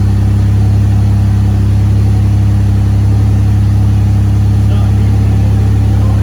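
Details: 1981 DeLorean DMC-12 started after installing a DPI modern fuel pump with new lines: a strong, low, steady engine drone, even and unbroken, with no misses or knocks; normal running. The hot-start issue remained unsolved.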